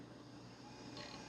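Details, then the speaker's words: Working Toshiba Libretto M3 laptop at power-on, with a CMOS error: a faint rising whir as the hard drive spins up immediately and cleanly; it goes on to boot Windows 98. "ah yeah we can hear that hard drive start to spin up immediately"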